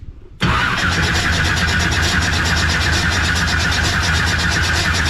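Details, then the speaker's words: Pro street '69 Camaro, 540ci Chevy big block, hot, fresh fuel, likely at least 12:1 compression and a huge camshaft: fires instantly into a loud, choppy, loping idle that never smooths out; running rough, cause suspected, not confirmed. "i started didn't sound happy 90. so this thing just has a huge camshaft"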